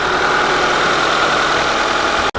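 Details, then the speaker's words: 1991 Honda Accord EX-R after replacing faulty oxygen sensor and resetting OBD1 codes: smooth even idle, starts quicker, previous valve tick no longer heard; engine running smoothly. "thing is running smooth as butter, boys."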